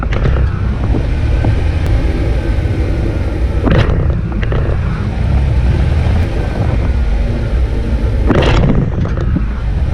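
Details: Jeep Wrangler with Rough Country shocks, worn front shock bushings, driving over speed bumps, GoPro audio: heavy road rumble with two sharp knocks; suspension clunk, owner suspects worn bushings or heavy front bumper U-clips.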